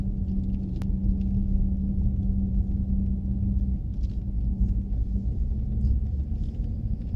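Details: Chrysler 300 SRT Core driving tight circles in a car park at about 15 km/h: steady low rotating howl under road rumble; owner asks whether rear differential or something else, unconfirmed.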